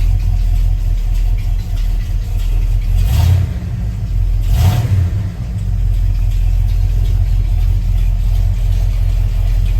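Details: Carefully rebuilt Ford truck V8, lukewarm (just above 130°): deep, steady rumble with only slight rises and no knocks or ticks; even, healthy idle at about 60 psi oil pressure.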